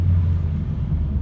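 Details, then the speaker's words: Ford C-Max 1.8 diesel after turbo repair for a whistle on hard acceleration, on a road test through the gears: a steady low engine rumble pulling well from low rpm, with no whistle or whine; the turbo sounds healthy. "эти передачи тянет хорошо даже с низов посторонних звуков которые были больше не присутствует"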